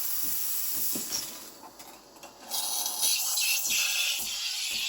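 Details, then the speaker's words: Breville Barista Express BES870 espresso machine, nearly new and repaired with a new valve: steam wand purges water then reaches full pressure, a steady loud high hiss rising to a strong even roar with no sputtering. Normal. "Give it a few more seconds, and that's about full pressure now."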